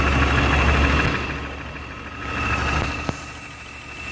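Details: BMW E36 M3 S52 engine after top-end rebuild with all new lifters: light fast tick about three per second over steady idle; lifter tick suspected, source not confirmed.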